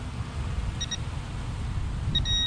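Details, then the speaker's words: Minelab Equinox 800 at an old school site: quick pair of high beeps then longer double tone over low rumble, target was a piece of iron or nail beside probable galvanized metal trash. "Okay, got it. So a piece of iron or nail,"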